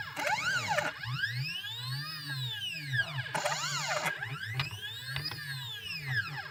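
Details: CNC with stepper drivers at 0.3 Vref, potentiometers at max: whining stepper tones sweep up and down with axis moves over a rough buzzy low grind.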